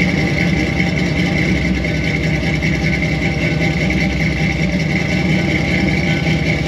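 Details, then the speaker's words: Squarebody Chevy C20 with a new Edelbrock 1906 carburetor, microphone near the exhaust, engine slightly smoky: rough idle with a steady hiss from an open vacuum port at the carb; big vacuum leak, port to be plugged before tuning. "so that's definitely a big vacuum leak so i'm gonna have to do like i did on one of my other abs two carburetors and find a plug for that"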